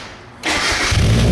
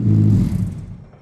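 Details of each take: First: Mazda Miata-based kart, newly fabricated exhaust with new muffler just installed: engine catches and revs up and down several times with a deep, even exhaust note; sounds healthy and not overly loud, normal exhaust note. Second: Miata-based kart with an open, unmuffled exhaust: a deep, booming blat fades out over about a second. It sounds better than before but is still far too loud and raw, so a muffler is planned to quiet it.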